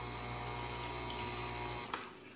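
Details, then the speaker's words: Breville Barista Express espresso machine: each press of the brew button brings a low, rough buzzing hum that cuts off with a click; the cause is unclear, possibly a faulty pump. "Okay, so I know hopefully you guys, some of you heard that really funny noise. If you guys have any idea what that is, please let me know, okay? Okay, so what's the German say? Something might be, let's see, sounds like faulty pump."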